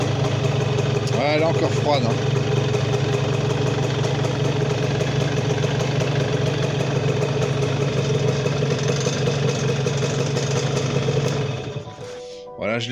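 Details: Honda NSR 125 JC20 two-stroke after rebuild, engine somewhat warm at 24 degrees on temperature gauge, started without choke: catches and settles into an even, buzzy idle, running clean and steady.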